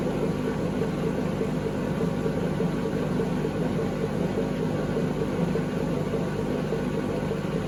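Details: 2012 Beko WMD261 washing machine on spin and drain, pump draining fine: steady heavy rumble with rough gritty rattle as the drum turns; previous owners said it became unbearably loud; worn drum bearings suspected, not confirmed.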